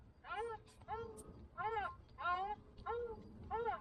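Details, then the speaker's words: Hyundai iLoad/H1 van with overheating. Water pump turned by hand before removal. Rubbery chirping squeaks rising and falling, like crying: water pump squeal. "we're going to find out and see what that surprise is and see why it's making a rubbery noise. Sounds like it's crying"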